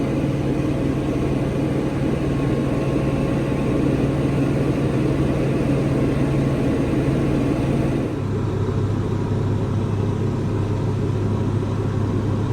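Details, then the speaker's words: Tractor diesel that went into limp mode (stuck at 1500 rpm, then died) from water-contaminated fuel; after cleaning fuel strainer, draining water separator, adding biocide and fresh diesel: steady even rumble, running much better; normal running. "but it's going running much better now"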